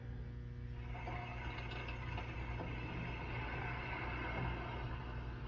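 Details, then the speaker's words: Hoffman steamer blowdown after shutting off: drain valve opened slowly, water rushing out with a steady hiss over a low rumble at about 5 PSI; normal blowdown draining. "Open this very slowly and you'll hear the you'll hear the water start coming out."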